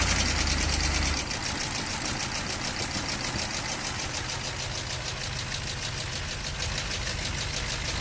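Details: Chevy van 6.2 diesel at idle: loose, fairly even knock about three a second over a low rumble; engine knocking, cause not determined.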